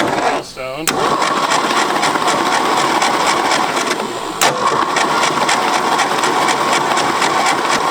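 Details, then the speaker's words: Late-1960s Ford F-250 with 71 thou on it, abandoned on a farm for 26 years, cranked by wiring the starter directly: an even, steady churn that never fires. No spark at the plug though the coil is known good, so points and condenser are checked next. "hey smoke so we turned over our engine with our spark plug here and we weren't getting any spark but we know our coils good"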